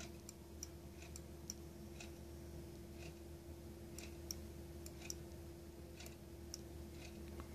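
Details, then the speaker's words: 1994 Mercedes E420 non-ASR throttle body on a bench test after wire replacement and idle switch repair: sharp, solid clicks, about a dozen in eight seconds, as the throttle snaps shut over a faint hum; idle switch now engaging properly. "there was also a problem with this uh idle switch so now you can hear it it clicks now so the um linkage never reaches the stop without the click"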